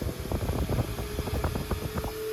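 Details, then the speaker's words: Antique Peerless 8-inch oscillating tab-foot table fan: uneven, wavering motor hum with irregular fluttering pulses instead of a steady drone; speed fluctuates from worn brushes, runs well once brushes wear in or are replaced. "You can hear it fluctuating. And um that is uh the brushes."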